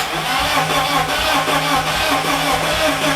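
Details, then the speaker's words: Customer's BMW E30 with M44 swap, ECU Master Classic ECU and custom ITBs, in neutral, coils unplugged and injectors out, jumped at the starter; steady even cranking, never catches; ECU shows no RPM signal and no TPS. "No RPM signal. So we are not getting RPM signal, we are not getting TPS."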